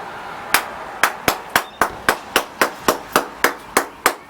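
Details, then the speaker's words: Hammer tap test at a crack on a concrete balcony; taps at three to four a second ring dull and hollow instead of solid, drummy section where the top concrete has lifted off. "It's quite easy to hear the change in sound. Concrete shouldn't sound like that."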